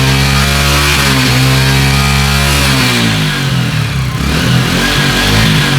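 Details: Italjet Griffon GF125 single, after cleaning a carburetor clogged from 10 months unused: revs up and settles with an even, steady exhaust note, no misfire or stumble; normal running after repair.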